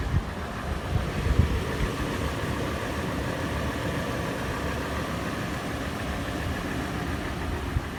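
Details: Toyota FJ warm idle: busy clatter and uneven light taps over low rumble; tapping faster in park and neutral, slower under load in drive, also on slow acceleration and decelerating below 1800 rpm; cause not pinned down.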